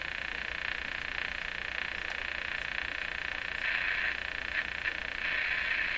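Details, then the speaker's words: Canadian General Electric JK-53 radio under restoration, monitored through an SDR, sweep generator stopped: a faint regular ticking of about three per second over hum and hiss from the speaker. The source is unknown, and the ticking disappeared once the radio was tuned. "Where the heck is this sound coming from now? Well, let's tune the radio. Maybe we can get rid of it."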